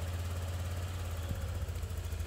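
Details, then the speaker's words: Honda Click V2 scooter, 112,000 odo, after full service with new water pump, new battery and rat-chewed wire fixed, check-engine light off: quiet, steady low hum, no misses or rattles; normal idle. "Yun, oh. Napakatahimik."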